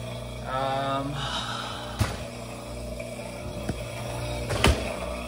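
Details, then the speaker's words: Samsung dishwasher from 2015 with a pin-hole leak under the tub gasket: low steady pump hum with occasional clunks and a gurgle as it tries to turn off at the power button; drain pump runs continuously because the leak sensor is triggered. "Even when I hit the power button, you can hear like a little bit of a gurgle on the pump as it's trying to turn off. So definitely got something going on with the dishwasher."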